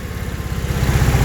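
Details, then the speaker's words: Engine on Weber IDF 40 carburetors clogged by ethanol fuel, reassembled and fed with poured-in petrol: uneven idle with a low lumpy pulse and growing irregular pops; owner suspects it is too lean and adjusts the idle. "It's like it's either too lean or something."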